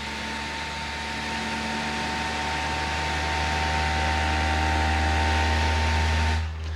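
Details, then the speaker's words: Creality SparkX i7 3D printer during first calibration: steady whirring hum with fast, precise motor moves and a faint high tone; weird-sounding but normal. "Alright guys, so right now it's making this weird noise. I just started the calibration. But apparently this is normal."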